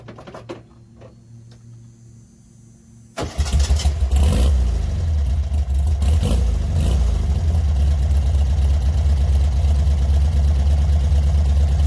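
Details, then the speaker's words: Stock 1966 VW Beetle 1300 flat-four, 12-volt converted, empty exhaust: quiet, then a quick crank and it fires at once, settling to a strong, even, deep idle; normal start and idle. "This thing can sit for months on end and trick a little gas in the car, bump it one time and she fires. Pretty impressed with these little flat four motors."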